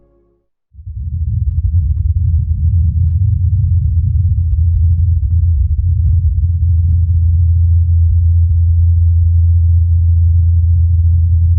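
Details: NASA Ingenuity Mars helicopter on its fourth flight, recorded by Perseverance rover's microphone: low steady rotor hum building within a second then holding even, no knocks or wobble; normal rotor hum.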